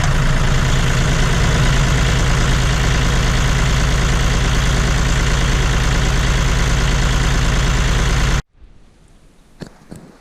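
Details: John Deere 5205 diesel tractor after replacing Stanadyne DB4 injection pump (SE501208): even diesel clatter at steady idle with regular low throb for eight seconds, then clean shutoff; runs well, no leaks.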